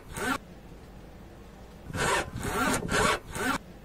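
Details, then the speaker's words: VW Polo 9N3 GTI 1.8T (9NBJX) with over 200,000 km: short dry creaking rubs in bursts as the suspension flexes, from worn front stabilizer bar bushings; silicone grease helped temporarily, fixed by replacing bushings (6Q0411314R, 20 mm bar). "2つ目はフロントのスタビライザーブッシュですこの部分ですね20万km超えたあたりからこのような異音がするようになりました"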